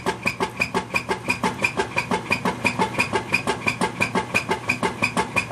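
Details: Whirlpool LSQ9200LQ0 washing machine in agitate cycle: hard, even thump-swish about three times a second with each agitator stroke; loud agitation noise, cause undiagnosed.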